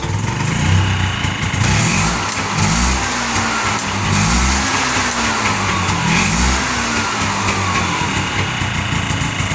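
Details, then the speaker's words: 1981 Yamaha G1 golf cart, first start after rebuild, ice cold, fuel pump just re-primed: single-cylinder catches and holds a steady, even putter with mild rev swells and no knocks; runs pretty good. "It runs pretty good."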